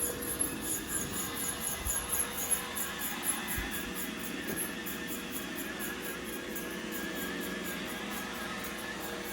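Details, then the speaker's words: Roomba 960 robot vacuum running with a loud high rhythmic squeak, heard for days; rollers ruled out, cause was a hardened dust-and-hair glob jammed between the brush assembly and its spindle. "So that was the culprit right there. This hardened dust hair glob that got stuck between the brush assembly and I guess the little spindle that turns it."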